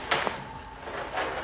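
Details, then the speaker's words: BMW N20 VANOS solenoid installed but not bolted down, with power and ground applied: two crisp clicks a split second apart as it pushes on the central valve, solenoid actuating properly. "you can hear it clicking so it's actually pushing on the central valve"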